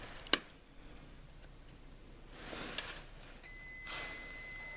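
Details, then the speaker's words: Harley-Davidson Touring with battery drain from parasitic draw: a continuity tester probe from the wire to the frame gives a steady beep only with the auxiliary light switch plugged in. A ground fault inside the epoxied switch, which is unrepairable and gets replaced. "hear that tone? So we have no ground fault when the switch isn't plugged in, but we have a ground fault when it is plugged in. The issue is inside the switch."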